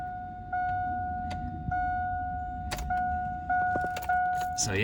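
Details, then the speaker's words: 2002 Cadillac Escalade: after a normal start, a thin steady whine at one pitch with small jumps over a quiet idle, like wind or intake suction; owner suspects the starter staying engaged and spinning, unconfirmed. "I'll start it up and it'll start just like normal but then I'll hear like this weird kind of like whining noise it almost sounds like wind like meaning like the air intake is sucking in air"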